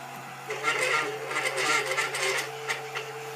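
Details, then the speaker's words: Tevo Tarantula 3D printer printing: steady motor hum under a scratchy, uneven whirring as the head moves; noisy lead screw not yet fixed or greased. "haven't fixed the noisy screw but I haven't applied grease"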